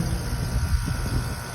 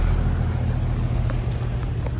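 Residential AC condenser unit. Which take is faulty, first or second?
second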